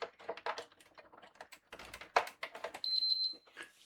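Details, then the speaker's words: PS5 console on the bench with UART tool connected: cable clicks and handling, then a quick run of high-pitched triple beeps as power is plugged in, the fault being diagnosed. "And obviously, again, we have that issue, the 3 beeps while it's powered."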